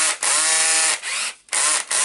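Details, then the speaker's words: Makita BHP453 drill after gear assembly clutch spring repair: short bursts of motor whine with quick dropouts as clutch releases and catches; clutch working properly. "housing is good make sure it works you can hear the tick tick tick sound"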